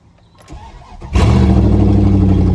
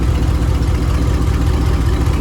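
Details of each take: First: 1999 Dodge Dakota R/T 5.9 V8, parked, started right up; loud, raw, blatty idle rumble from exhaust leak, downpipes cut behind the headers, no muffler. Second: Dodge Dakota R/T 5.9 V8 with a bad rear main seal, driven that way for a while: deep, even V8 rumble at idle with no knocks, ticks or misses; engine still sounds good, normal idle.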